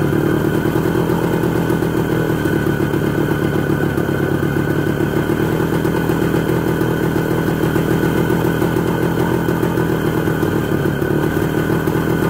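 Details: ČZ 125/453 two-stroke, first start after full engine overhaul: steady even idle with crisp rapid beat, no knocks or rattles; freshly rebuilt engine sounds healthy.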